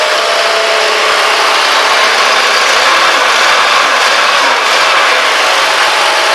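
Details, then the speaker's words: 2004 Ford Taurus after new spark plugs and plug wires: an even, steady idle with no stumble or miss, and no fuel smell. Normal idle. "You can hear it. It sounds really good. No misting. Smooth as butter on a hot summer day."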